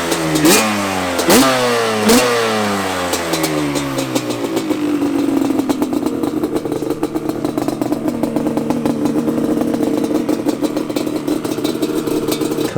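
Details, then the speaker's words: Yamaha Banshee 350cc two-stroke after carb cleaning (left carb was clogged), pre-mix fuel: crisp blips rising and falling cleanly, then a steady fast idle with even popping; responds well, healthy. "should be a lot better now with the carbs cleaned out before one carb was kind of clogged up it was the left carb"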